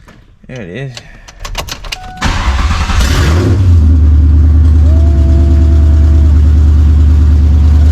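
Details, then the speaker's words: Roush Mustang with a 4.6 V8, running on long-tube headers with no exhaust fitted. It cranks, catches and settles into a loud, deep, even burble with a quick rev blip; normal idle and revving. "about to start her up with no exhaust just long tubes you know we all want to hear that let's see what she sounds like it's gonna be loud yeah it's a 4.6"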